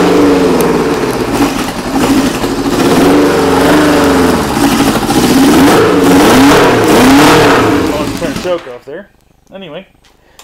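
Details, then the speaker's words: Old stunt motorcycle, first start of the year: crisp even exhaust note rising and falling cleanly with throttle blips, no knocks or misses; runs healthy. "that's what she sounds like that's the whole bike"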